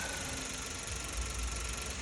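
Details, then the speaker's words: Hyundai HB20 three-cylinder engine revved then dropping back to an uneven idle, with a light hollow metallic knock of piston slap against the cylinder liner after severe overheating; fix is engine removal, machining and re-sleeving. "Esse barulho é o o pistão rajando na camisa ali do do cilindro ali, entendeu? Geralmente quando o carro pega um aquecimento muito forte, o pistão ali diminui e fica acontecendo essas rajadas aqui."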